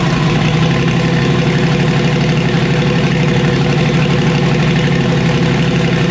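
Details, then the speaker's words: Car converted from Procharger to turbo, being tuned: heavy steady drone with an uneven low pulse about four beats a second; running rough, owner suspects two burnt Holley coil packs. "all right well it sounds like maybe I toasted two full packs"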